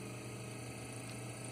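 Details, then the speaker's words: Mystery rotary machine run as a shunt DC motor on a pulsed DC supply, likely around 1800 rpm, with synchronizing lamps flickering on the AC side: steady even electrical hum and low buzz with audible phasing; normal. "you can also hear the phasing because our DC supply is pulsed"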